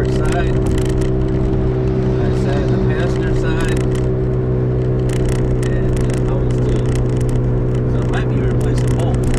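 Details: 2005 Toyota Matrix AWD, camera in back while driving: steady low airplane-like howl over road noise at speed; owner suspects a rear wheel bearing, driver or passenger side uncertain, both previously replaced; unconfirmed.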